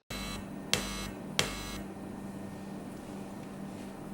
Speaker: when I touch the metal part of the plug with my fingers you can hear a strong electrical noise let me show you just how annoying this Buzz can be